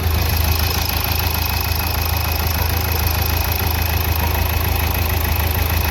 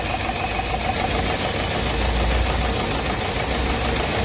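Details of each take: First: Nissan Terrano diesel, code P0203, after injector service and a coil replacement idles with an even, steady low rumble; the earlier tak-tak knocking and misfire are gone. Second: Nissan Terrano diesel just after starting, idling rough and uneven with a stumbling knock. It is misfiring heavily because an injector is not working, with code P0203.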